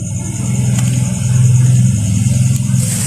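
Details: Carburetted XR200 motorcycle: low, uneven revving with sharp exhaust pops, struggling to pull; backfire and loss of power, carburetor and needle being checked as suspected causes, not confirmed.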